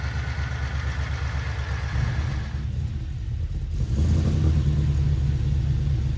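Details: Harrop-supercharged LS V8 in a Series 4 GU Nissan Patrol with 6L80 and 3.5" stainless exhaust: deep, even rumble that settles and firms up, no knocks or misses. Good oil pressure and sounds good from the rear; healthy idle.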